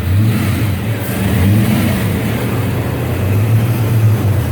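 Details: Engine pulls up cleanly and settles back with an even, steady note, no knocks or rattles; sounds healthy.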